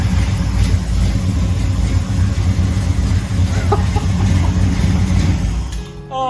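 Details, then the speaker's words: 1968 Camaro SS V8 after hard start (slow cranking) fixed with new mini starter and new battery cable: engine catches and settles into an even, strong burble, no dragging crank or stumble; starts like stock. "very good sounds like a stock one [Music] thing you need to go oh oh oh yeah that one sounds like it's factory it does doesn't it [Music]"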